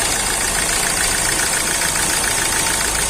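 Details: Hyundai i20 1.4 CRDi diesel (Delphi) that had low fuel pressure and no start, after injector replaced: steady, even diesel clatter at idle with no misses, surges or knocks; now idling smoothly.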